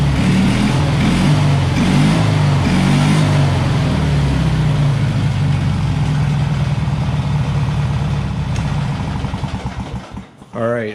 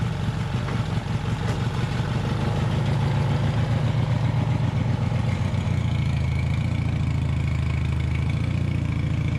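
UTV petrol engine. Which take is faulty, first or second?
second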